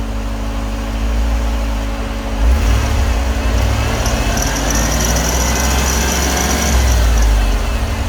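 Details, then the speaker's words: Ford EFI 460 V8 after upgrading from a 2G to a 3G alternator, at idle with headlights and fans on, drawing about 72–73 A: idle, then two throttle snaps as a thin, high alternator squeak rises under heavy electrical load. "uh you can hear that that alternator squeaking [Music] not the best noise i've ever heard"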